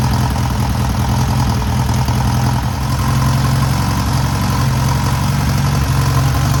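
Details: Newly rebuilt air-cooled VW 1600cc flat-four during break-in after first start: even, steady low drone held at a constant fast idle throughout.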